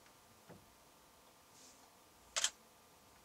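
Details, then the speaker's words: Canon 7D DSLR in a quiet recording studio, measured at 53 dB at 3 feet, louder than the Fuji X-Pro1: a single sharp, crisp double click of mirror and shutter. Normal DSLR shutter sound. "So the Canon 7D is at 53 decibels at 3 feet. So much louder than something that wasn't even registering, I guess."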